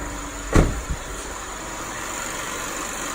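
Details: 2007 Lexus IS250 after replacing a dried, cracked serpentine belt that caused loud knocking and squeaking; tensioner and pulleys were fine: after one brief thump, idle runs smooth and steady with no squeal or chirp; normal idle.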